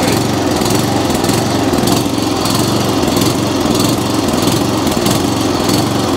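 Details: Atco Commodore B17 cylinder mower petrol engine hunting and surging, running rough with a wavering note that swells and dips after choked start; lean mixture, fuel delivery problem, not enough fuel reaching carburettor, possibly dirty carburettor.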